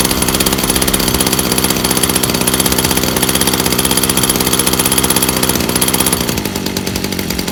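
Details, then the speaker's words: 2-stroke backpack sprayer engine, first start out of the box, choke down after it turned over, throttle left at part setting: steady even buzz with no stumbling, then cut at the kill switch; running normally. "pull it again and it should run smoothly"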